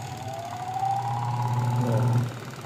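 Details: Spin dryer that would not run, spin motor switched on with cover off: motor hums up with rising tone for about two seconds, then winds down when released; spin motor turns freely and works.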